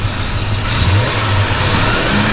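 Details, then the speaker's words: 1973 Plymouth Roadrunner, numbers-matching 318 V8 with about 22,000–23,000 original miles, just started cold with about 22 psi oil pressure: a deep, steady rumble that picks up crisply when revved, with no knocks or misses. The engine is responsive and idles smoothly. "as you can see, it's got plenty of response. It idles real smooth, runs really good."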